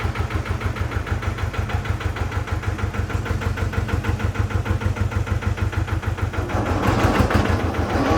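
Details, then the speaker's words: Amida Benford 32D articulating site dumper, two-cylinder hand-crank Lister diesel, Newage PRM 3-speed gearbox: same gear noise after topping up gearbox fluid; steady diesel beat about three per second then harsher gritty rise; owner says noise comes from the rear, not engine or front; gear grinding suspected. "all right bad news it's making the same noise so there's two other things I'm going to check it's definitely not the front end because I is definitely not coming from the front it's coming from the back"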